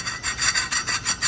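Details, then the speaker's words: 2020 Nissan Altima 2.5, rear brakes, customer complaint of brake noise: harsh rhythmic scraping, about five strokes a second, as worn pads run metal to metal on a badly scored rotor; fixed with new pads and rotors. "now there you go you can see the uh rotor is really bad cuz it's been metal to metal and this is what you're"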